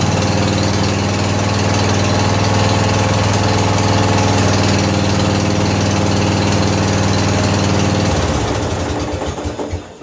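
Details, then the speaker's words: 14 HP Briggs & Stratton single-cylinder engine in a free Murray riding mower, carburetor flooding, oil smelling of gas, after start on choke: steady, even chug about four beats a second, no misses, until shut off; running healthy. "fire in a hole ah so good sounds good"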